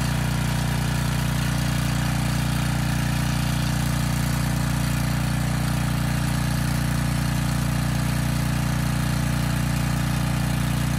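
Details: Briggs & Stratton Storm Responder generator repowered with a used 10 HP Briggs engine, old oil, carb unserviced, about 114 V: even, steady low drone with no knocks, misses or hunting; running normally.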